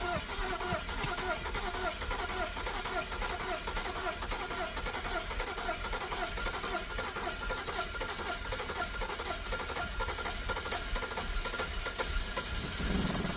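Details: BMW E90 330i with N52 engine, crank no start: steady starter whirring with even compression pulses for over ten seconds, never catching; crankshaft position sensor fault.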